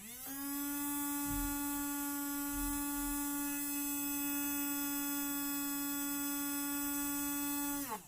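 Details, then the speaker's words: Small DC toy motor fitted with a ceramic suppression capacitor; steady clean high hum at constant pitch, then a smooth drop as power cuts; smoother than the uncapacitored motor. Normal motor hum. "Önce kondansatör olan motorumu çalıştıracağım ve motorun tınısını aklınızda tutmanızı istiyorum."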